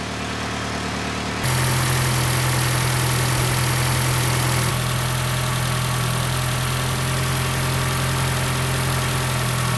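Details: 1976 Chevy LUV 4x4 prototype (Isuzu), cold engine on fast idle about 1100 rpm after Pertronix conversion and advancing timing that was way retarded: smooth, even low hum, no knocking or misses; normal warm-up idle.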